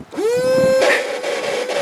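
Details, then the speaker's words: 1995 Honda Accord after a new battery, engine off and key out: a steady mid-pitched electric buzz, found by pulling fuses to be the headlight washer pump motor running on its own. The washer was then disabled. "Bon, vous le croyez pas, c'est le lave-phare. C'est le lave-phare qui fait ce bruit là."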